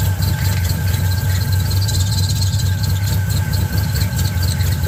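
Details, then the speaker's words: 1970 Camaro Z28 with a built LS2, LS3 heads, a newly installed Edelbrock E-Force supercharger and accessories moved 3/4 inch forward, at idle and making boost. A loud, steady high-pitched scream is heard over the V8 rumble; the belts are squealing. "But it's running. So I clearly still have some work to do on the belt, but they are screaming."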